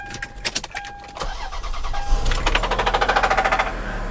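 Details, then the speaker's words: Auction car with about 300,000 miles, started hot: cranks and catches, then a sharp, rapid metallic rod knock that later stopped, possibly from temporarily low oil pressure. "you hear that rod knock I heard that rod knock whoa let's try that again"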